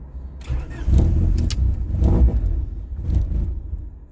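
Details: Honda Prelude with Hondata S300, cold start while adjusting the cold start-up enhancement; injector at 9.6 ms and the mixture seems to go rich: the engine cranks and catches, then surges and sags unevenly for a few seconds; a stumbling cold start.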